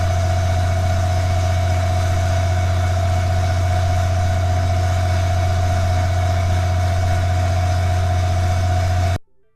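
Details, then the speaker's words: Competitor Y 38–40 kW standby generator at 100% load, microphones 7 m away in acoustic test centre: deep steady drone with constant hum above, even until cut off; louder than Cummins Quiet Connect; normal running. "Both models are rated at 38 to 40 kilowatts and were running at 100% load."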